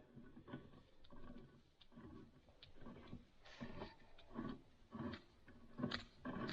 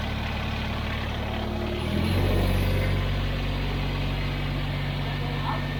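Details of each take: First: Kubota BX23S snowblower driveline on the bench, shaft turned by hand: rough, gritty grinding about twice a second, shaft binding to a stop; a pillow block bearing has failed with its seal gone, to be replaced. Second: Kubota BX23S tractor with snowblower after replacing chattering bearings in the K-connect drive: engine settles into a steady low drone with no grinding or rumble, sound and vibration gone, normal running.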